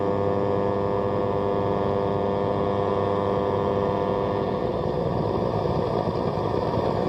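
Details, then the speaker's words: Radio on long wave powered from a home-built strip-board power supply under test: steady low helicopter-like rumble under the hiss; source not pinned down. "okay let's try this on long way then so you can hear that low level rumble can't you"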